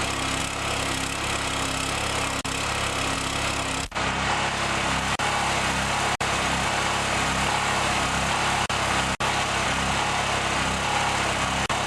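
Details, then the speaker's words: Chinese Honda-clone 6.5 hp generator (4000 W, 3400 W rated), fuel valve shut and run until it dies to burn carburetor gas before storage: steady single-cylinder running with brief dropouts as the carb runs dry; fuel-starvation stall. "what I do is when I'm about to put it away is I turn the valve off I start it up and I let it run till it dies what this does is it burns all the gas that's left in the carburetor"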